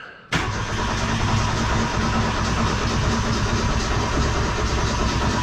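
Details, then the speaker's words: 1972 Ford Pinto, freshly restored Motorcraft carburetor just installed, in neutral: the starter cranks steadily for several seconds with an uneven low chuff while fuel fills the carburetor. "So we know it's gonna have to turn over a little bit. Put it in neutral. Just wanting to crank."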